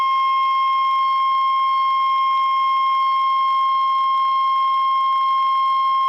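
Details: Vintage Hallicrafters S40-A HF receiver during alignment while trimmer C19 is peaked for highest reading: clean, unwavering high whistle around 1 kHz held for seconds. Receiver test tone during alignment.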